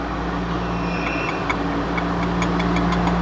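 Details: Toyota Sienna 3.3/3.5 L V6 at idle: light quick ticking and faint whir at the engine front from a damaged water pump inside the timing belt cover; to be fixed by replacing pump, timing belt, pulley and seals.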